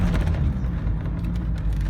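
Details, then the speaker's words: VW T4 2.4 diesel (AAB) after replacing the low oil pressure switch, driving at around 30 mph where it used to flash and beep: steady diesel drone and road rumble, no warning beeps; normal running, fixed. "Job done, guys. Well, as you heard, I've done it. Problem solved. Low pressure switch."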